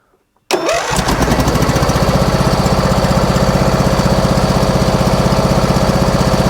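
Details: Husqvarna lawn tractor that bogs and dies when the electric PTO is engaged: it starts at once but runs with a lopsided thump about four per second. Running on one cylinder; spark is fine, and no compression is suspected.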